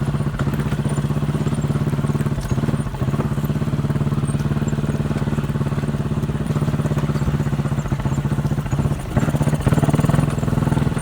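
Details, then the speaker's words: Chinese 200cc Honda-clone quad, warm after about 10 minutes riding, choke half on: single chugs at idle then drops and stumbles, missing and farting; misfire when warm, turned out to be the spark plug. "You can hear it missing and farting. I've got the choke half on now."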